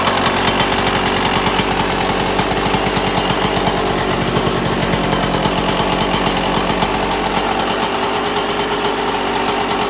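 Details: 1998 Yamaha YZ125 two-stroke, cold start in freezing weather on choke: loud, rapid, harsh diesel-like rattling knock over a buzzy idle; owner suspects bad main bearing, cause unconfirmed.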